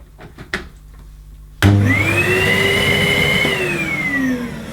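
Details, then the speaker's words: Hoover Sensory Evo (SO30PAR 011), 650 W low-energy motor, first switch-on out of the box, thought to be on high: the motor kicks on sharply with a loud roar and an odd wavering whine drifting in pitch. Sounds abnormal; cause unclear. "that sounds odd. That sounds odd for a Hoover Sensory."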